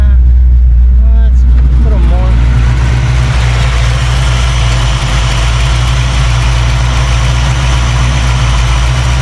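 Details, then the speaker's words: 1989 Mustang Notchback carbureted V8 after starter replacement and carb fix, base timing lowered to ease starting and drop idle: settles into steady even idle just under 1000 rpm, strong low rumble, no misses; healthy. "just under a thousand is perfect"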